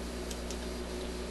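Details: Admiral suitcase record player with a new stereo cartridge just installed. Only a steady low mains hum comes through with no music, which points to a dead cartridge channel. The owner believes the new cartridge is bad.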